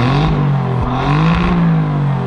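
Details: 2019 Alfa Romeo Giulia Quadrifoglio revved while stationary, stepping through normal, dynamic and race modes; a deep throaty exhaust note blips up and down crisply and turns properly guttural only in race mode; healthy, strong-running engine.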